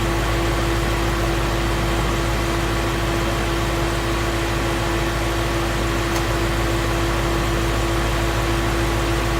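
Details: 2016 Mustang Coyote V8 at operating temperature, 1k miles after oil change: smooth, steady idle with even low hum and no ticking or knocking; engine sounds normal and healthy.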